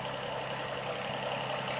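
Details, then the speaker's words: 2005–2008 Toyota Sienna after a spark plug change, test-fired: a soft, even idle hum with no misfire stumble. The engine runs smoothly and is healthy. "back on just so it looks pretty but there we go here it is you can hear the engine running hopefully so smooth everything looks nice"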